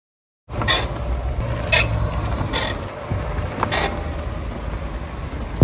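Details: Tesla Model 3/Model Y front suspension over bumps or while turning: short dry creaks, four in about three seconds, over low road rumble, from a dry upper control arm ball joint, fixed with silicone spray and high-temperature grease.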